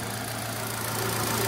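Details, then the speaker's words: Engine with CVVT that had a top-end hydraulic lash noise, just after replacing the hydraulic lash adjuster: a steady, even, smooth idle with no ticking from the head; the noise is gone. "को पूरी तरह से जा चुका है और इन जो है इन्हें पूरी तरह से स्मूथ चल रहा है"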